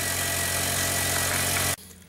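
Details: 2004 VW Jetta 2.0L petrol (BBW) after a new fuel pump, fixing misfires, lean codes and intermittent no-start: starts and idles steadily with an even hum, then is switched off; normal idle.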